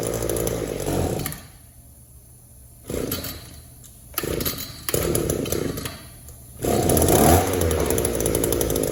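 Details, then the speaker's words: Echo two-stroke trimmer with Walbro WYK carburetor, crankcase sealed and fuel filter clean, idles evenly but each throttle blip flares then sags; it won't rev up, showing a lean bog. "It'll idle all day long, but it won't rev up."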